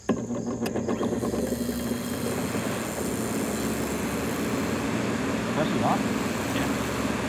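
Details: Early-1970s Sears Coldspot Viewsaver window air conditioner: compressor kicks on with a short clatter, then settles into a smooth, steady low hum; normal compressor startup.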